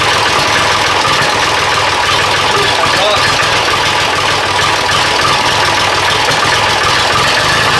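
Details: Diesel engine idling in neutral at about 46°F after an injection pump timing check and adjustment for a miss/hesitation, started with starting spray: rough, uneven clatter with a steady loud rattle, a little better but still not right; may need warm-up.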